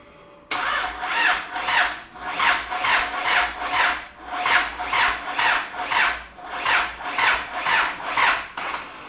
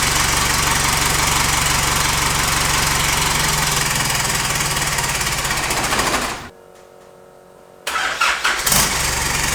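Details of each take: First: Isuzu 4JJ1 diesel swapped into a Nissan Patrol, first start attempt with the fuel pump fuse pulled. It cranks slowly in even whirring pulses and never catches. Owner hopes it is a weak battery, not a locked-up transmission, and tries a jump pack. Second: Isuzu 4JJ1 diesel swapped into a Nissan Patrol, first starts after the starter motor was knocked to free the brushes: even diesel clatter at steady idle, shutdown, then quick clean restart; now starting every time, normal start and idle.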